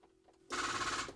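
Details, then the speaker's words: Land Rover Defender TD5 with a 4.5-year-old battery, ignition on after glow plugs. A half-second burst of rapid relay clicking is heard, but the engine never turns over. The battery is flat. "that's all the relays everything else working or trying to work in the car but fails so yeah we're not starting so it's pretty obvious"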